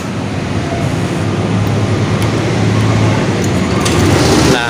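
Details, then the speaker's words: Honda PCX scooter that would not start despite a new battery, now restarted after a loose ECU connector on the red/yellow-stripe wire was fixed. It hums at a steady, even idle with no stumbling or knocking. "alhamdulillah ya. Ini motor hidup kembali."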